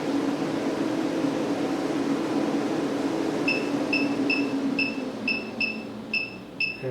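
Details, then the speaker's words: Maxxair 7500K roof fan bench-tested on a battery box before van installation: steady airy hum, then short beeps as speed is stepped down (adjustable 10–100%) and the hum drops; runs smoothly, normal operation. "you can go all the way down to 10%. From 10 to 100%."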